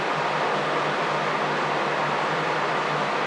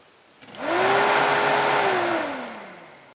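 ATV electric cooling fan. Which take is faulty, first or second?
first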